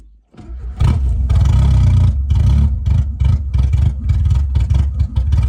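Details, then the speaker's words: Car bought unseen, run after refitting the air filter housing and using brake cleaner to start it, fuel pump audible: engine catches and surges to a high, uneven rev, then runs choppy in ragged bursts with no throttle applied; unexplained runaway revving. "R: Did you give it gas? U: No R: But why did it rev up"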